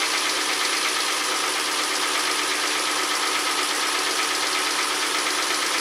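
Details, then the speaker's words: 2012 Kia Soul after engine swap, first run outside while burning off oil, warming for thermostat to open; cranking earlier made owner nervous: steady, even idle hum with constant pitch, no misses or surges; sounds pretty good. "Okay, so far so good. Sounds pretty good."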